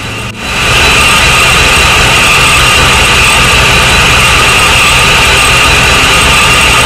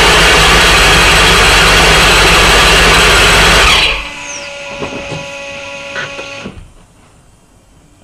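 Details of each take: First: Supercharged Corvette V8 after setting fuel pressure (target 40-42, stock 36-39): catches and holds a steady idle with strong supercharger whine, no hunting; runs well though some issues remain. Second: Supercharged Corvette V8 during first start-ups, after an oil cooler housing seal leak was found: loud steady rushing hiss over the running engine that stops at shutdown; vacuum leak, traced to part of the intake.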